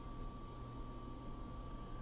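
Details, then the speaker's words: PP-282 vibrator power supply, 24 V in, about 184 V out, with PeKo RVB-1 solid-state vibrator: faint, steady low transformer hum from the square wave, no buzz or chatter, running quietly as it should. "if you listen very carefully you can hear the Transformer hum a little bit because the Transformer is uh handling a square wave and that by itself might give a little bit of acoustic noise from the Transformer"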